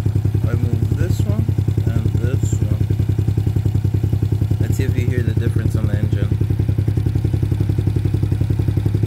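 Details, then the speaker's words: Trailmaster Challenger 300 go-kart/side-by-side, which used to die when stopping, after replacing the broken carburetor and during the new carb's adjustment: an even, steady single-cylinder putter with no misses, faster rpm but no stalling; runs cleanly. "unscrewing this i feel like the rpm is right it's going fast but it didn't die so that's a good start"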